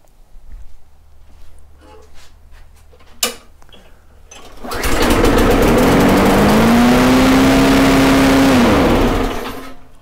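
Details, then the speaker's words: Briggs and Stratton Quantum mower engine: after some handling it fires and holds a steady, high, screaming pitch far above normal speed; over-revving from a misadjusted governor. "now i don't know if you can hear that entirely but the problem is it is revving insanely high"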